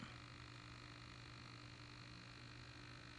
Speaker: ything it's working all by itself um batteries are going dead on the servo that's why you hear that huming